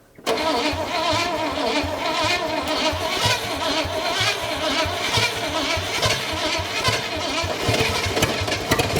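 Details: 1957 Chevy V8 revived after 40+ years, water pump pulley flange failed, coil wire pushed on fully, no coolant in it: starter catches and it fires straight away, settling into a steady, even idle with no misses; normal idle.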